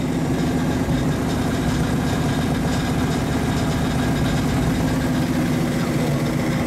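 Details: 1935 Chevy Master with newly installed 409 stroker V8, first start-up on jack stands; oil pressure and temperature good; steady even idle, smooth low rumble, no knocks or misses; sounds cammed; normal idle.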